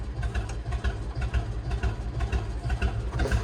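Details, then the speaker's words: Lawn tractor, thought to be late-1990s or 2000s and computerized, idles low and lumpy with an uneven stumble about twice a second, misfiring and not revving up at all; after key off and on it revs fine, so owner suspects a computer issue. "Yeah, doesn't rev up at all."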